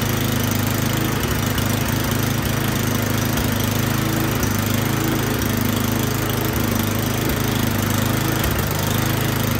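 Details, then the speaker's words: Troy-Bilt Storm 10030 snowblower that would not start after gas sat in it all summer (bad gas, clogged carburetor suspected); spark confirmed, started with starting fluid, now running great: steady, even single-cylinder putter at constant speed, no misses or surging; normal running. "now that I started it with starting fluid it is running great"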